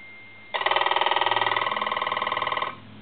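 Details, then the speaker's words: German Post Office telephone after its touch-tone conversion and repair, with the ring volume rolled down to low: a fast, even, fairly soft buzzing ring of about four strikes a second for two seconds; the ringer works normally. "we'll go ahead and ring it one more time turn the switch on I can roll that volume down and that's that's on low"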